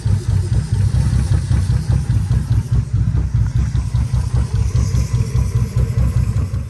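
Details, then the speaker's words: Old Toyota engine after water pump work and new starter, hard to start: deep uneven idle with lumpy stumbling pulse about twice a second; misfire on cylinders 5 and 6, later traced to plastic piece in cylinder 6. "fact, it had a misfire on cylinder 6 and 5."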